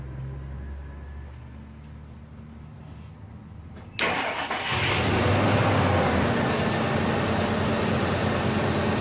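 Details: 2000 Ford F150 with code P0301: engine fires and settles into a lumpy idle with a regular stumble about three times a second; cylinder 1 misfiring. Cause unconfirmed, possibly something loose; later ran fine with no misfire.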